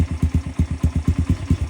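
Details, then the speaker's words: 125cc XPro Storm pit bike on first startup after fitting a new 22mm Nibbi carburetor and intake manifold: even, steady single-cylinder thump at about seven firings a second, no misses or hunting; idle holding smoothly. "You adjust the idle, you can hear how it's raising the idle, and then you can idle it back down."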